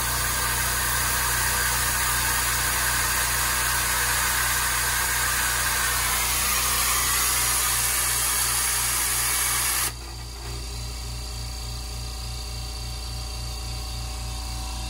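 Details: New California Air Tools air compressor, first run after fitting spin-on air filters: steady, even motor drone with a fast regular pump pulse, settling to a hum once the tank fills; quiet and healthy.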